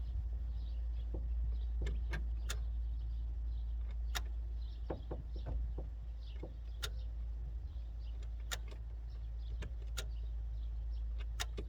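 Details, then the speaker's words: 1986 Ford F350 6.9 IDI diesel with crank-no-start: sharp single clicks as the key is cycled show the fuel shutoff solenoid gets power and switches; melted glow plug harness wiring was found. "Could definitely hear it clicking. That means we're getting power to that fuel shutoff solenoid."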